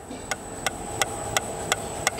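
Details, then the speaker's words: Citroën C4 Picasso rear body: sharp metallic ticks about three per second over faint hum, stops when hand presses the panel; rattle from a loose spot weld in the bodywork. "Então tá aqui ó ponto de solda solto aqui na carroceria ó trabalhando tá"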